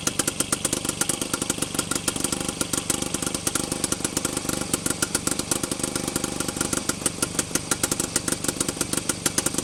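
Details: Penguin's two-stroke engine on first test run after teardown, running forward: sharp, uneven pops about two per second with bursts between, catching and nearly running; ignition timing seems close for forward.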